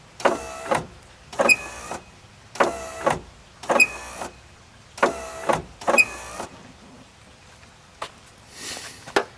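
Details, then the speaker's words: 1990-1997 Mazda Miata MX-5 pop-up headlights after lubing all moving linkage points: six sharp high squeals in pairs as the lights travel; still squeaking, owner wonders if the aftermarket HID kit's ballast sitting there is involved. "She's still squeaking though. I wonder if it's got something to do with the HID ballast that's sitting there."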